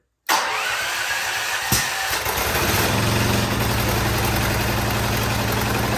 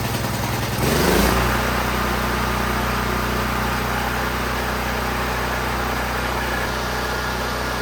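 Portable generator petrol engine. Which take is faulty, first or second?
first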